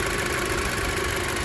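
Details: VW Eos after AC compressor replacement and cooling fan repair, hot day about 30°C, AC off: steady, even idle under constant rushing fan noise, no knocks, squeals or surging; engine and cooling fans running normally.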